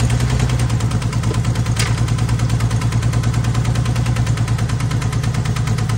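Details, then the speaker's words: 1978 AMC Hornet inline-six, firing order confirmed 153624, steady idle with a fast even knock about three a second over a heavy low rumble; sounds like a rod knock, unconfirmed, carburetor issues also suspected. "sounds like a rod knocking [Music] sure sound like a rod knocking to me surely the guy wouldn't have lied to me but yeah maybe"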